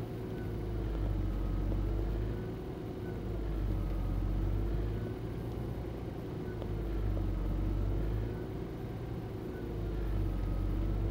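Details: Nissan Gloria Y33, VG20E engine, cold and not yet warmed up: idle speed swells and sags slowly about every two to three seconds with a wavering note; hunting idle.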